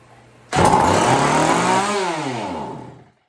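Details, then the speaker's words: Chainsaw revived with fresh gas, on choke with good compression: starts abruptly, screams briefly, then revs sag to nothing within three seconds; won't hold throttle. "See what happens. Can't hold the throttle. We'll pull the choke. Ooh, definitely got compression."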